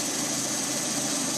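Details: Lada Priora 126 engine, warmed up, 50,000 km, 20,000 km after piston-knock repair, timing kit and water pump just replaced: steady, even idle with a smooth hiss, no knock or tick; runs well after repair.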